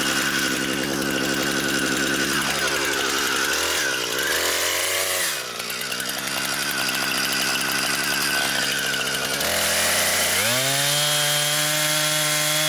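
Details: Brand-new Husqvarna 460 Rancher chainsaw, first run, cutting wood. Strong high revving whine drops smoothly under load in the cut and climbs cleanly back up. Healthy saw cutting normally.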